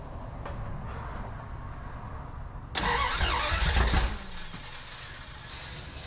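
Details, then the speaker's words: 1981 Dodge D150 with the distributor reset to 0.008. It now has spark, but the owner suspects no fuel is reaching the carburetor (little gas in the tank, leaking fill hose) and that the choke is causing problems. The starter cranks, catches briefly with a sputter, then dies. "I'm not getting fuel up there yet I don't think but we are getting sparked finally"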